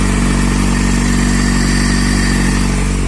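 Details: Kawasaki Z750 engine after fixing valve-like knocking caused by leaking exhaust header gaskets (rings replaced); smooth even hum at steady speed, no knocking or ticking; normal running.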